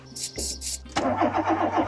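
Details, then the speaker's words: Volkswagen Polo 86c breadvan that runs rough, smokes and leaks oil under the cylinder head, on a swapped battery; starter churns steadily at about seven beats a second with no catch or firing, and the choke can't be found: cranks but will not start. "Doesn't even want to try it. Where's the fucking choke?"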